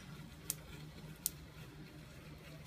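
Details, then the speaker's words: Van de Graaff generator, discharge wand held very close, charge building on rollers at start-up: three sharp little snaps in under three seconds over a low hum, faint sparks heard but not yet seen. "So I can hear just a little bit of spark. Can't see it yet."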